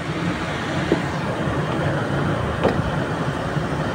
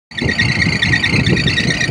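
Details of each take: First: Belt-driven air-con fan after the noisy V-belt's pulley and fan motor were aligned and adjusted. Steady, even whoosh with a low hum and no belt squeal: normal quiet running. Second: Air-conditioning unit fan drive running: loud steady high belt squeal over a rumbling fan drive; belt itself still fine, pulley misaligned and to be fixed.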